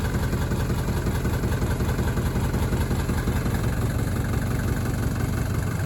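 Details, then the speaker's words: 1983 Mercedes W123 240D diesel: loud, deep idle with an uneven, lumpy beat and a shudder; valves long out of adjustment, suspected fuel delivery, fuel timing and worn timing chain issues; transmission stuck in first gear. "beautiful 1983 240b wonderful car but as you can hear a little bit of shutter coming from that engine not shifting out of first right now"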